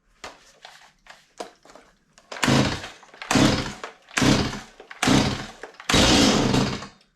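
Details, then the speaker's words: Stihl MS 180 chainsaw, fairly new, brought in as a no-start: several starter pulls on full choke, the last catching in a brief rough cough; normal first fire, next step is half choke to avoid flooding. "okay it just coughed so that's good now we're going to kick it to the half choke position"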